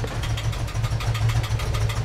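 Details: 1988 VW Vanagon just fitted with a new mid-pipe, catalytic converter and muffler, with a possible exhaust leak at broken bolts and grease blowing off the exhaust: a low, lumpy, stumbling idle; misfire suspected, cause not confirmed.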